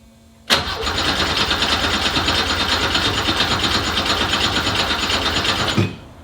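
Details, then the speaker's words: Subaru EZ30R flat-six swapped into a 1969 Porsche 911 with Haltech ECU and Porsche sport exhaust: catches at once, rough uneven few seconds at fast idle, then cuts out; starts briefly then dies, cause unknown, wiring checked. "made progress but still not good yet all right couple more changes going to try again"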